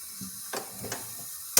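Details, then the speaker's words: Old Jeep F134 engine with rod rattle, leak-down with air through compression tester adapter, under 20 psi: faint steady hiss under shop noise with handling knocks; not from intake or exhaust, air escaping past the piston rings. "I hooked up air removed the shreader valve from this compression tester adapter and you can hear it hissing and it's not even 20"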